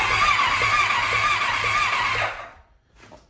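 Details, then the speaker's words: 2000 Kawasaki Ninja ZX-7R 750, previously no crank: after grounding the CDI, steady starter whir turning the engine at an even beat for two seconds; healthy cranking, ground fault fixed. "I don't know what it is. I got it. It It's cranking."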